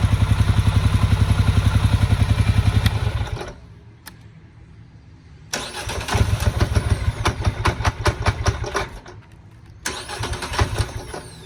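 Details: Hard to start unless throttle assists; once running it pulses unevenly, sagging and nearly stalling between throttle blips, then idles at spec after a few seconds of throttle; rough idle, cause not clear.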